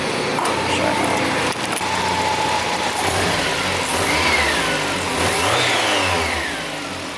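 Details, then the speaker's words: Mazda Miata after engine swap, at a car wash: engine revs up and settles with a raspy, puffing edge on the exhaust note; owner suspects a vacuum or exhaust leak. "I'm here at the car wash and it's hilarious because I have like a vacuum leak or an exhaust leak I'm not sure but it sounds so much like a terrible school and everybody's just staring"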